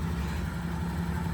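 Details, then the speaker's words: 1990 Mitsubishi Minicab Bravo AX 4WD, warm engine idling after a high cold-start idle: low, steady, even hum with no misses or knocks; idle comes back down, smooth and healthy, normal idle. "But then once it warms up, the idle comes right back down. It idles nice and smooth."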